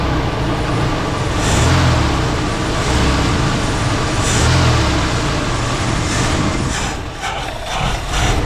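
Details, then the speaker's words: 1977 Ford LTD station wagon: uneven idle swelling and sagging every second or two with no clear knock. The owner thinks no accelerator pump action was heard and suspects a vacuum leak, none seen; cause unconfirmed. "maybe there isn't a there's a vacuum leak somewhere maybe didn't see anything"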